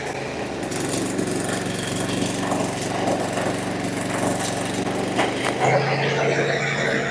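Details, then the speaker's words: Briggs & Stratton 24 hp twin on a Husqvarna, low on power, at fast idle with the non-factory governor wire removed; old gas. One cylinder already repaired, but the other side runs lumpy and uneven with backfiring, consistent with a leaking intake valve. "I y heard that we're going to have a problem on this other side too there backfiring popping"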